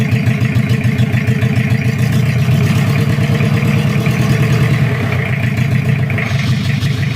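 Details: Toyota Kijang 2L diesel, cold, just after first start following an engine rebuild for oil burning, injection pump timing at the zero/standard mark: steady, even idle clatter with a firm low thump and no stray knocks. Normal diesel idle.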